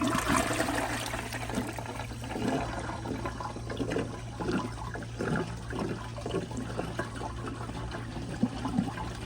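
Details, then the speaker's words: Glacier Bay PowerFlush toilet flushed to drain the tank, with rushing water and bubbly gurgling as much water comes out of the black vacuum-assist unit in the tank. "i don't know if y'all could hear that weird gurgling sound but there was a lot of water coming out of that black um vacuum assist in the tank"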